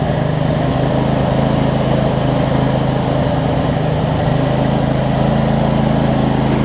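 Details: Craftsman DLT 46" riding mower, 25hp Briggs & Stratton V-twin, first run after sorting messy wiring, some smoke burning off around valve covers; steady even low rumble at one speed, no misses, knocks or hunting; normal running.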